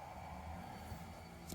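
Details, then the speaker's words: Kingroon KLP1 3D printer after repair of its power-supply fan, which had growled and vibrated loudly: now a very quiet, steady hum with no growl; normal fan running. "вмикаємо Ну все його майже взагалі не чутно і вентилятор крутиться ідеально"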